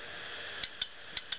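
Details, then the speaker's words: Western Digital 80 GB IDE hard drive, opened, with a dead drive: four sharp, irregular clicks within about a second over a faint whir as the actuator arm keeps trying to recalibrate and fails; click of death. "dancing around like a freaking person who dances and such as click and its trying to calibrate itself but it can't because it's dead so that's it it's just going to keep doing this until it either power goes off"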